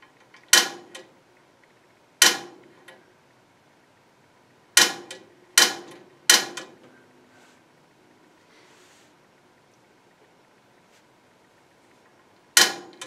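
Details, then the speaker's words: Gas log fireplace pilot being lit after cleaning: six sharp, unevenly spaced igniter clicks in a quiet room while holding the knob in to bring gas up the line; igniter working normally. "one click I'm going to hold it just for a minute in and try to get some some gas that come to up to the top let's try it this way I can hear it it's coming or filling the lined rather from here over now it's spreading in"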